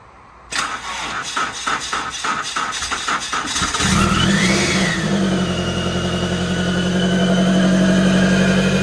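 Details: Supercharged automatic Scion FR-S after repairing a dropped rocker arm and broken valve cover, some piping not yet connected: about three and a half seconds of cranking, then clean catch and even idle.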